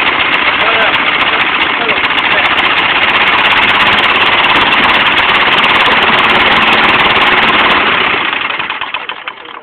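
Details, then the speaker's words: Propane engine running outdoors in cold weather: steady even note for about eight seconds, then shut off and fades; runs smoothly with no knocks or misses, and would run smoother if warmer. "That's pretty neat. Runs pretty good, smoothly. It'll run smoother if it wasn't so cold out here"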